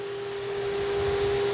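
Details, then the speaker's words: Shop vac on a CNC vacuum table, board pulled over the seal with a small air gap remaining: steady mid-pitched whine with even airflow rush, no surging or fluttering; normal hold-down suction, board locked down. "I still have a little air gap right here but I have enough suction that it's not going anywhere as soon as I pull it up over that seal it's locked down"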